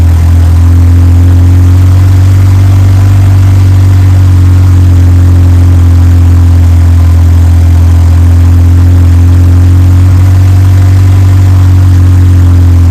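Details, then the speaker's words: Mitsubishi Evo 6 with a swapped Evo 8 4G63 four-cylinder, first start after fitting a follower/lifter, now warmed up: a deep, steady idle with an even beat and no valvetrain ticking, sounding normal. "all right well it's not making any noises um warmed up sounds like a normal 4G"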